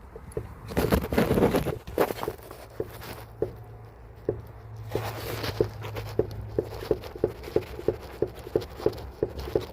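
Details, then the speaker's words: Mercedes W211 suspension: sharp, fairly regular knocks about three per second as the strut top is levered with a stick; the knock traced to a worn upper strut mount (shock absorber support), replaced with a new one. "появился такой стучки всё посмотрел всё хорошо а оказалось опора амортизатора и вот как её проверить"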